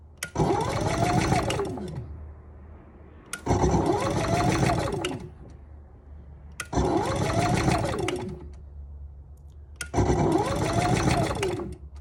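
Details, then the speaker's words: Camper generator with electric start, economy mode, remote and auto choke; four short even cranking bursts, no firing, never catches; it won't turn over with the gas off and the starter won't stay on long. "oh yeah it will not turn over if the gas isn't turned on and this one the starter won't stay on for a long time either"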